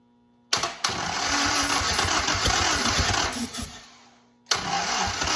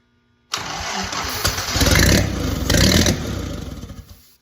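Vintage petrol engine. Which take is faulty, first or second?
first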